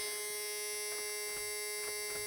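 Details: 1994 Ford F-Super Duty diesel dump truck, 59,000 mi, sitting for years: turning the key gives only a steady electrical buzz and no cranking; starter not engaging, and the owner suspects it lost fuel prime.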